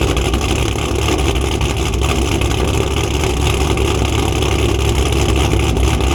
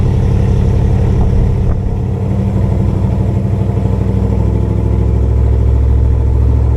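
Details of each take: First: Cammed Chevrolet Camaro, cold start after coil packs were moved back and O2 sensors cleaned: choppy, lopey cam idle that stays even, with no missing beats or knocking; engine running right at this moment. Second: Cammed Chevrolet Camaro V8 driven at partial throttle: a deep drone with an irregular, stumbling pulse breaking the rhythm. Misfire has returned two days after the car was got running, with no check engine light yet; cause not found.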